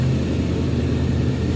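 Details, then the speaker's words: Honda VFR 750F motorcycle, restarted fully warmed up after reassembly: smooth, even low rumble at a steady idle with no ticking or metallic noises; running cleanly. "Работает чисто, без посторонних металлических шумов."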